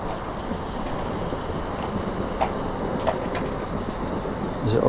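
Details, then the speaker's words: Pressurised burner pumped about 20 times, hissing slightly and described as quite explosive: steady, even hiss with no sputtering or surging, burning cleanly; normal burner operation. "this is probably why I don't use this too much in the 10 because it's quite explosive so can hear it hissing slightly"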